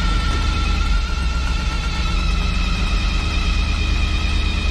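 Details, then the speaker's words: Diesel crane truck running: steady high-pitched squeal over the engine rumble, persisting despite belt dressing; alternator belt slipping, alternator spins freely and charges, owner may replace the belt. "that squeal's getting pretty annoying i really don't understand why it's squealing i even put belt dressing on it already uh it's the alternator belt"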